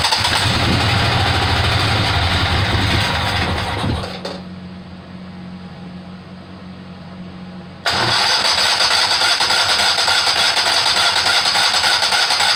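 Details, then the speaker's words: Rebuilt Kohler Command 18 hp engine, first start attempt, funnel-fed carburetor because the fuel pump hose disintegrated: starter cranks at a steady rhythm several seconds, then stops, never catching; seized carb fuel shutoff solenoid stops fuel reaching the jet. "here's an attempt at a first start with the carburetor working free with a funnel as the fuel system"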